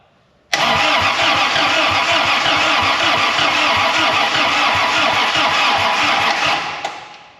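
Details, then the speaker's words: 1940 Dodge with Desoto Hemi being prepared for EFI (Holley Sniper 2), spark plugs not yet installed, weak battery: steady, slightly slow starter churning that never catches; 25 oil pressure on slow crank. Normal slow cranking. "We got 25 on low crank or slow crank. That's exciting."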